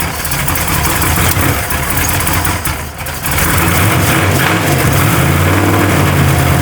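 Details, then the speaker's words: Warm truck V8 on a $200 Temu knockoff carburetor lopes unevenly with sputtery pops and a sag, stumbling and spitting back through the carb. Owner suspects it is running lean. "here. Ah, she is lean farting all over the place."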